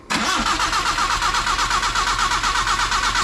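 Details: Nissan vehicle that would not start, cranked during testing after repair work: starter turns the engine in a fast, even rhythm for about three seconds but it never catches; cranking without starting.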